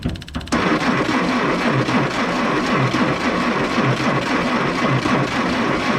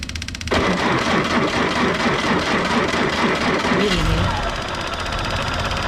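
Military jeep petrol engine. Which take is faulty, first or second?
first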